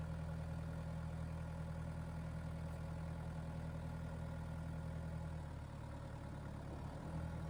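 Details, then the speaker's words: Tractor diesel with Rhinohide canopy installed, PTO turning, before reaching 2,500 rpm rated speed: steady, even low drone under light load, no knocks or misses; normal running, canopy adds little noise. "going roundy round. There we go to 2,500 RPM."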